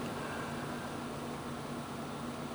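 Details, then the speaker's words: Server with a noisy cpanel-server processor fan; this clip is the first server, for comparison. A steady, even rush of air with a soft low hum: a fan running nice and smooth, how it should be, unlike the ticking fan. "if I go to this server which is my first server and I listen to this server you'll hear a fan that's nice and smooth and"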